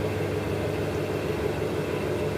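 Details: Wheel with a motor-driven cone contacting a large flywheel, speed set by a foot pedal that tilts the motor; top bearing replaced after being floppy and noisy; steady, even motor hum with no rattle or grinding; normal running.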